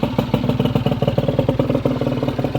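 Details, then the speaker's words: Honda Vision scooter just after barrel, piston and cylinder head replacement and new crank, first idle to bed in the rings: quick, steady pops, no ticking, the earlier tip-tip-tip ticking now gone; normal idle. "Got it running, guys. And it sounds lovely. So much better than it was previously. No ticking."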